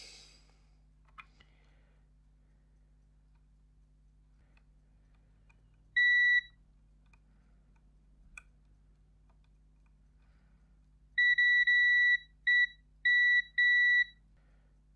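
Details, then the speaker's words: Xbox One S powering on then off, board with burnt traces and solder bridges, multimeter continuity test: clean high beeps, one short then a broken burst of three; the two pads are shorted together. "i'm gonna check for um check for some shorts wow what if those two are connected together yes they are"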